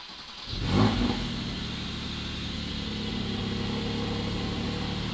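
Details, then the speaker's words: Salvage-rebuilt 2020 Porsche 718 Cayman GT4 on its cold start: quick crank and catch with a short flare, then a steady, even fast idle from its normal cold-start procedure. "so these things do have like a cold start procedure where they're really loud for a certain amount of time it may not be as quiet as you're thinking for this first little bit"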